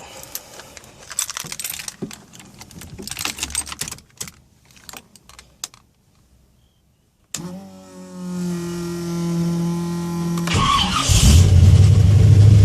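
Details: 1981 Cutlass, SBC 357 with Comp XE274H cam, Holley 600, shorty headers, Super 44 Flowmasters, timing set dead on: after key rattling the V8 catches cleanly, then settles into a lumpy, choppy idle with a blip. Normal start and cammed idle.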